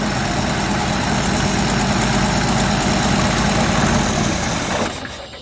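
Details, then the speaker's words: 1977 Ford F350 dually tow truck, long-sitting estate-sale find: steady, even idle with a smooth low rumble and no knocks or misses until shut-off near the end; a bad accelerator pump or clogged jets are suspected for its acceleration stumble. "So what we got this thing to idle pretty good, but we've got, I don't know, clogged jets or a bad accelerator pump, probably a bad accelerator pump."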